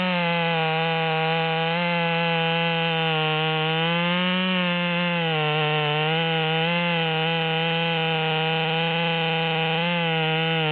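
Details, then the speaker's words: Modified ("Psy-Ko-ized") Stihl MS200T chainsaw with 25-inch bar, cutting after needle adjustment toward upper rpm limit: strong steady high-pitched two-stroke scream holding revs with slight dips; running better in the wood, normal operation under load. "and so we're running a little bit better in the wood even though I didn't cut over the top"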